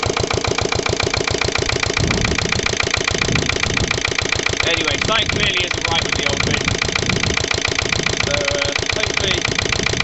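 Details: Lister LD1 single-cylinder diesel on a chilly 5–6° morning after a fuel filter change: knocking about 3.5 firings a second, uneven and stumbling under load. Rough running; owner suspects a fuel-line air lock or pump, perhaps a missed bleeding step.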